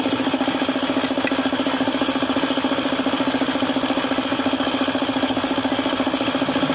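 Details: Suzuki F6A engine at idle with a failed oil pump: sharp, regular metallic knocking about three per second. Oil starvation caused the engine knock.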